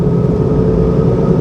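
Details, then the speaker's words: Land Rover Freelander at cruising speed: a constant low droning rumble with a steady hum under road noise that fades above 40 mph; owner suspects the loud, aging, hardened tyres. Cause unconfirmed. "and I don't know it might even just be the tires the tires have always been very loud uh forget what brand they are"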